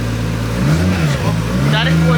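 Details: Built 1JZ-GTE swapped into a Nissan 350z at first start-up, around 1000 rpm, staying under 2000: engine picks up cleanly and holds a smooth even rev with no misses or knocks; sounds healthy.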